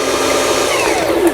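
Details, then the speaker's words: Lion Mising JS1004 sewing machine, about 20 years old and heavily used, after repair of a loosened upper shaft worm in the gearbox; winding the bobbin while only partly reassembled gives a smooth, steady whirr at even pitch, normal bobbin winding. "이거는 제가 지금 조립이 좀 덜 돼서 이런 식으로 조립하게 되면 이런 식으로 이제 북실이 감기게 되어 있습니다."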